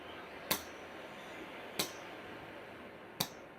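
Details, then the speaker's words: Oxy-fuel cutting torch with the flame pulled back to tiny individual blue flames: sharp, isolated pops about every 1.5 seconds over a quiet hiss. A dirty cutting tip is making the flame pop. "see that that long tip and you pull it back to individual tips out of each hole and this one is dirty you can hear it popping"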